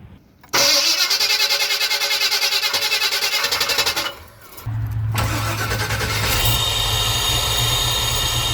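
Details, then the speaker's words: Slow, labored cranking at about three uneven pulses a second for four seconds before a small-block Chevy V8 in an ambulance fires, just after an EFI install; the original starter sounds sickly and dragging, before replacement with a 3hp mini starter. "Right now I think it sounds pretty sickly, so we're gonna go ahead and swap that out."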